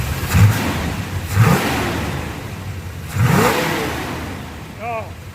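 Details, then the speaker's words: 1972 Chevy Corvette with new Bluetooth distributor on the custom ignition timing program: three crisp throttle blips climb cleanly and fall back smoothly without hesitation; revs freely and responsively. "it sounds so good it is so responsive as you can see everything's feeding nicely"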